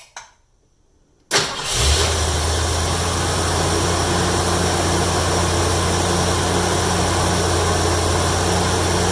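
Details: 1972 Mercury Comet small-block Ford V8 after new plugs and wires, restarted after spark plug wires rerouted to correct firing order: quick start into even steady low rumble, no shake or misses; smooth idle.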